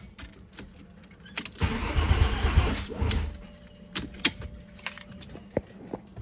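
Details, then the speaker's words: Freshly built VW VR6 engine cranking on a jump after battery died: a second of starter churning amid rattling, never fires; cranks but no start, owner wonders if wires are out of order; oil leaking again. "I don't know. I wonder if it's... I checked my wires. Maybe they're out of order or something."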